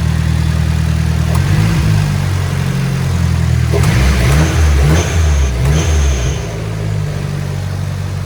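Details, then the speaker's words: Nissan S14 Kouki with SR20 turbo, 333k km, factory turbo, downpipe, cat and muffler, about 10° ambient: steady even idle with quick blips settling cleanly, no belt squeal or knock; normal idle, engine sounds strong. "when I fired it up there was no belt squealing or anything of that nature the engine sounds strong doesn't sound like it has any"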